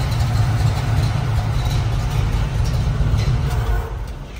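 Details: 1969 Pontiac Firebird Trans Am replica, 455ci V8, rebuilt no. 96 heads, Edelbrock intake, 4bbl carburetor, stock exhaust manifolds: deep steady idle rumble, even low pulse, no ticks or knocks; sounds healthy.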